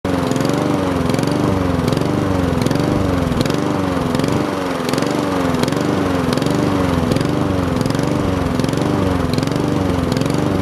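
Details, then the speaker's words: Honda GCV160 mower engine surging idle, speed hunting up and down about every three-quarters of a second; possible cause is an air filter clogged with grass or dirt, fixed by carburetor cleaning. "in this video we're going to show you how to fix the surging idle on a Honda mower"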